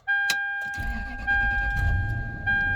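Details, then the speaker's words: 2003 Toyota Sequoia 4.7 V8 started after an oil change: catches quickly, runs slightly fast and even under a warning chime while the filter fills and oil pressure rises, then calms; normal. "you can hear the engines kind of run a little fast and then it's going to calm down"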